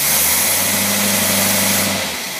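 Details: Engine running on a freshly rebuilt Tyler Motorcraft single-barrel carburetor during its test. A steady, even idle with no miss, surge or hesitation; the instrument readings look excellent and the engine sounds healthy.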